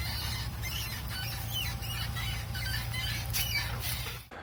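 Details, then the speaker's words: Mitsubishi Montero Sport rear wheel: sharp rhythmic squeak about three times a second, tracking wheel speed, only when reversing; forward fine at any speed; also heard on left side; source undiagnosed. "такая проблема при езде назад раздается скрип причем скрип зависит от оборот колеса частота скрипа вперед едешь при любой скорость все нормально"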